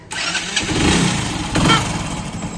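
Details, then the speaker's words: Commuter motorcycle (Passion Pro/Shine type) on a cold start, which needs choke and jerks until warm after about 2 km: starter whirr, then a rough, uneven idle that sags and surges. It stalls repeatedly unless kept revved. "तो मैं गाड़ी start करता हूं अब जैसे इसको start किया automatic बंद स्टार्ट हो रही है"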